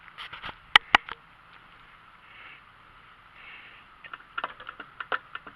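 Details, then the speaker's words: Yamaha F40 LA outboard, 120 fresh-water hours, prop turned by hand in gear: scattered light clicks and scrapes from the lower unit gearbox, with slight play felt. Owner unsure whether this is normal; cause not pinned down. "I have one other problem. On the video, you'll hear a clicking sound coming from in here."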